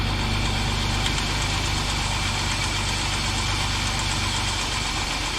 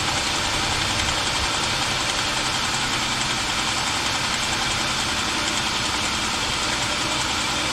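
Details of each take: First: 2007 Jeep Wrangler 3.8L, about 300,000 miles, after replacing rocker arm shafts with used parts to cure a random tick: brief clatter at first start from oil-empty shafts, then steady even idle with no ticking; normal idle. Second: 2007 Jeep Wrangler 3.8L, 300,000 miles, first start after rocker arm shaft replacement. A light, fast ticking clatter of three or four taps a second is heard at startup because the rocker shafts were empty of oil.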